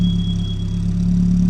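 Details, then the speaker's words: 1981 Ford Fiesta Mk1, 1.1L X-Flow, warm after water pump and fuel pump gasket job (gauge ran hot before fan cut in, then came down): steady deep exhaust burble at idle heard at the rear, even pulses, no misses; normal idle. "I just cannot get over how well this thing runs. You can't even tell that it's on."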